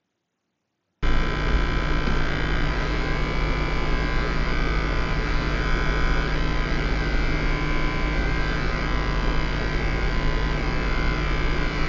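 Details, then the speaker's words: PS5 console running, steady electrical buzz with thin constant whining tones; coil whine, reported alongside fan noise differing by Sony fan model, some consoles very silent. "so on high part electronics it's normal to have some coil wine but what we have seen in the reviews so far some people have had very very silent consoles where they are really close to them and you can't hear it"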